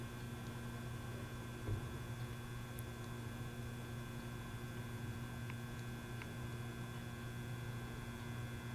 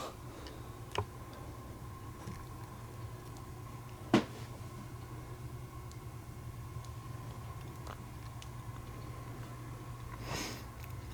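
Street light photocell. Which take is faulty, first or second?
first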